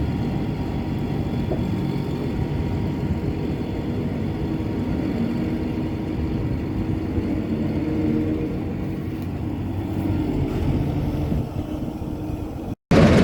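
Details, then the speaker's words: Massey Ferguson 40 combine with Valmet six-cylinder diesel, back at work after 3 years sitting: smooth low rumble at constant speed, no clatter from the chain drives; running beautifully. "Just listen to that Valmet 6-cylinder. Oh, what a sweet sound. That thing is running so beautifully."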